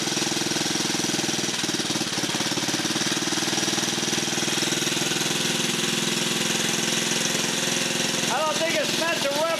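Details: Rare 1950 REO single-cylinder small engine, just revived, air cleaner off: even, lively beat with busy mechanical chatter on top, steady with no misses; healthy normal running.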